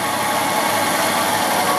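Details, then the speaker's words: 1964 Ford Thunderbird, 390 big-block V8, idling outside during inspection: even, steady idle with no stumble, knock or shake; runs regularly without vibration, healthy. "Alors c'est le V8 de 390, hein, le Big Block. Voilà, tourne bien régulièrement, sans vibration."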